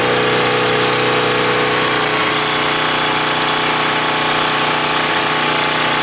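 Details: Husky 1850W generator, about 5 hp, Mikuni T3044 carburetor converted to natural gas after failed cleanings: steady even drone at constant speed, no misses, surging or hunting; runs better than on gasoline; normal running.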